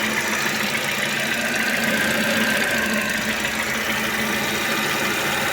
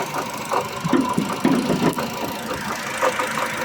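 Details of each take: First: Ravon R4 engine idling after water pump replacement (old pump bearing had play, causing ticking; tensioner also suspected); steady, even idle with smooth hum, earlier noise gone, no knocking or whine. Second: Ravon R4 at idle: uneven light ticking and knocking at the front of the engine over a steady hum. Water pump or tensioner bearing was suspected; the removed pump had play, and the pump, tensioner and belt are being replaced.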